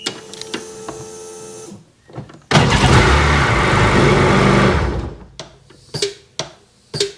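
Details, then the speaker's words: Sea-Doo GTX 951 DI two-stroke after rebuild and new RAVE solenoid with hard line: engine cuts off at shutdown, then four or five sharp clicks half a second apart venting pressure, cycling it did not do before; normal RAVE solenoid cycling. "And now it's cycling and it wasn't doing that cycle before it to let the pressure out."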